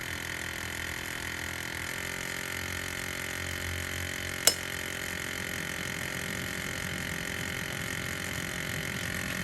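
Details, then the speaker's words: Ford F350 Super Duty 7.3 with the new AC compressor clutch fitted after the old clutch plate broke; compressor spins free. AC switched on: a steady engine drone and one sharp click as the clutch pulls in, no scraping or drag. Clean, normal engagement. "so now i'm going to turn on the air conditioning and we should see that clutching gauge if the plug is plugged in [Applause] [Applause] did you hear that click now it's engaged now it's off no"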